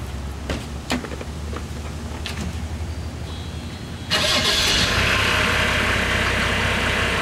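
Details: 1987 Mercedes-Benz 300D diesel, original exhaust before Hushpower Pro 3-inch muffler install; cranks, catches and settles into an even idle with steady clatter, no stumbling, healthy.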